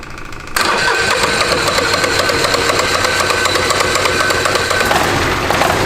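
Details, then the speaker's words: China-made 1300cc diesel V-twin for a go-kart, first startup strapped on a table: short crank, catches at once, settles into steady even clatter with no misses; healthy first start. "1300cc diesel V-twin. First startup. Fuel pump. Fuel pump. All right. Fire now. Yep."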